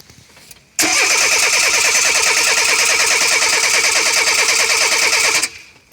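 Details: Renault 9 Cheverny after changing fuel filter and spark plugs: starter churns steadily about three beats a second for nearly five seconds, engine never catches; hard start.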